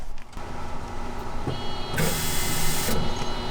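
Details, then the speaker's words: 1991 Mercedes 300E, about 200k miles, non-running car: ignition on, steady electric hum builds for about a second under shop noise; fuel pump primes normally before first crank attempt. "yep yep all right oops yep yeah no I I heard the fuel pump so uh I guess the next thing is uh let's try to crank this"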